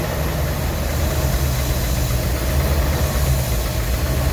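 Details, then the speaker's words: Rolls-Royce Silver Shadow II, sat about 10 years, with twin SU carbs rebuilt. Pushing the butterfly shut makes a low, lumpy idle sag nearly to stalling, then it idles nearly decently. Owner suspects a burr holding the throttle butterfly open. "I can basically nearly if I push on that, which is just shutting that butterfly more, I can nearly stole it out. But look how now that's idling nearly decent."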